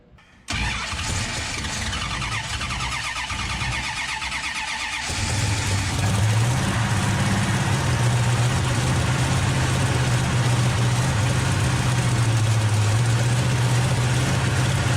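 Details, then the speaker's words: 1968 Hemi Charger V8 restarted after work: rough, lumpy idle with occasional pops; suspected running lean on fuel, with a large vacuum leak that prevented a proper idle. "It popped a little bit. Like it's running, you know, light lean on gas. Yeah, it could be running lean too. Well, it's alive. Well, it's idling, but it's got a hell of a vacuum leak."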